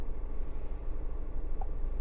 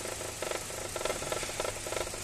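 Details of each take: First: Hyundai Grand i10 petrol with earlier misfire and codes P0134, P0132, P2187, after ECM replacement and codes cleared: low, quiet, even hum with no misses or stumbles; smooth, healthy idle. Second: Hyundai Grand i10 petrol engine idling unevenly, shaking, with irregular thumping bursts about every half second from a misfire; fault codes P0134, P0132, P2187; engine also stalls.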